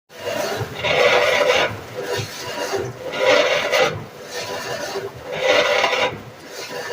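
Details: GE washer: rhythmic rasping grind in surges about every two seconds as the drum turns, somewhere in the drive, cause unknown; grinding noise.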